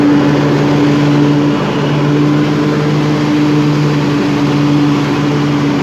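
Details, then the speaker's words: 1998 Craftsman DLT hydrostatic lawn tractor, 16.5hp Kohler Command single, 22 years old, just tuned up with a new fuel pump and rebuilt carburetor: a steady, even drone at full throttle with no misses or knocks. It runs smooth and strong. "as you can hear it has plenty of power runs smooth throttle it all the way down if you need to walk away from the machine nice bright headlights as you can hear it runs nice and smooth plenty of power"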